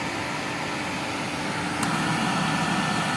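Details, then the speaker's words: 1973 Electrolux 1205 canister vacuum, motor replaced about a year ago, running with the power nozzle idle: a steady, even motor hum with an airy rush and no rattles, sounding healthy. "Alright, so you hear the power nozzle is idle. Actually sounds pretty good. Like I said, I just replaced this motor about a year ago."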